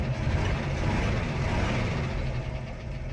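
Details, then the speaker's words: 1976 postal Jeep revived after years parked in the woods, driving after a heat cycle; steady low engine drone with an even pulse, no knocks or misses; it suddenly runs healthy, better than before. "Seems surprisingly healthy all of a sudden. Again, I'm not gonna complain."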